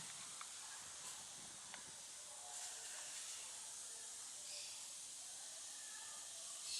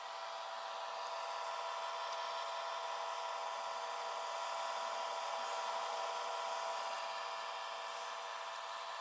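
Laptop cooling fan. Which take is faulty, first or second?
second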